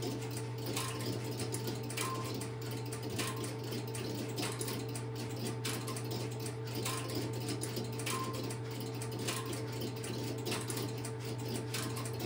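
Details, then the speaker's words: Stromberg Carlson X-Y telephone switch, camera at the equipment, after a call is placed: steady low hum with a sharp relay click about every 1.25 seconds, evenly paced, interrupter cycling; normal. "Hey, I've relocated the camera to the Stromberg Carlson XY equipment and I will place a call into it and you will Hear the interruptor start and run."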